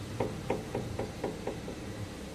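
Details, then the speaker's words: Opel Astra with a noise when turning the steering wheel, car raised and strut rocked by hand: about seven dull knocks in two and a half seconds; worn strut top mount (copela), confirmed as the cause. "Y digáis es que es normal no no lo es porque este lado ni se mueve y lo que se mueve es la copela ya"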